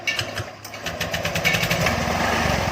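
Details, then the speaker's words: Honda Vario scooter, crank sensor found fine, starts only with high revs and will not hold idle, running rough and uneven; head gasket leak makes radiator coolant spurt when revved. "dia harus putaran cepat baru dia baru mau hidup sobat ya. Terus di posisi stasioner juga dia nggak mau."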